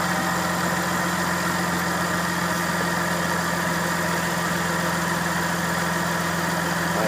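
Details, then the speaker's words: Lexus during a power steering fluid flush, lines just reconnected, running while refilling: steady idle with a constant droning whine; the power steering pump is sucking air while low on fluid, and the whine stops once full. "You hear that power steering pump whining like a [ __ ] bubbling up inside there."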